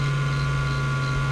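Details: Failing hard drive on a USB-SATA adapter with a worn main spindle bearing vibrating internally; a steady low hum with a fainter constant high tone as the spindle rumbles from the failing bearing and unbalanced platters.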